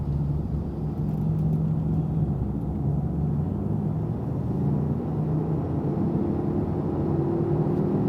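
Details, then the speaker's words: Road test at highway speed: steady low humming growl under road noise from a bad wheel bearing, louder with speed and inaudible around 10-15 km/h. "So the faster I go, the sound gets louder, and when I slow down, the speed gets softer, and really 10K, 15K an hour, I'm not really hearing anything."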